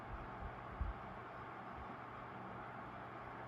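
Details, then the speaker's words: 1970s Mastercraft (Lasko) 12-inch oscillating fan, model CTC 120, 3-speed PSC motor, 120V 0.37A, on low speed: soft even hiss of air, faint low hum, no ticking or rubbing; quiet, smooth, normal running. "Alright, so with the fan back on its feet, let's go ahead and start it up on low. Very quiet and smooth on low. Nice calm breeze, perfect for those summer night kind of views in"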